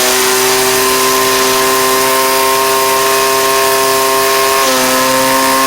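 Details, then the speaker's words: Cheap two-stroke string trimmer: it holds a steady, high-pitched full-throttle note, smooth and even with no sag or stumble, running well; only its trimmer head needs fixing. "Seems good running wise. I just need, just need to fix the head on it."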